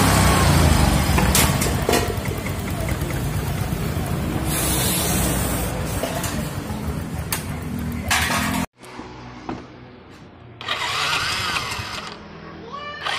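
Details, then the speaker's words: Yamaha Mio M3 scooter engine after repair for a rough "jrek jrek" sewing-machine-like friction noise (traced to the stelsel area, cheap fix): now runs about eight seconds with an even note, no top-end rattle or clatter, then shuts off; smooth normal running. "hi , it's already quiet, guys, the voice was very rough, now it's smooth,"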